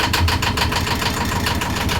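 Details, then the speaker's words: Boat engine just started during winter prep, batteries on and warmed for a few seconds: fast, slightly uneven pulsing idle that sounds like it wants to stumble and needs more throttle; rough idle, cause not confirmed. "Well, I think she's going to need a little bit more gas than that. Let's just give her a little bit more."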